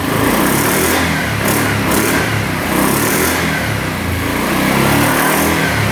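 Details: 2009 Yamaha Grizzly 550 EFI ATV, which the seller said hung at high revs, running with the air box off. The single cylinder revs up and drops back cleanly and evenly, with no throttle hang-up or over-rev.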